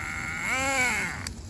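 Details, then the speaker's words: HPI RS4 nitro RC car during break-in, third tank, leaned main needle: engine whine swoops up and down, revving freely as if unloaded; gears mesh but shaft slips; drivetrain slipping. "That was the um the shaft slipping. I'm going to go show you right now. My gears are still meshing. Nothing is broken, but the shaft is slipping."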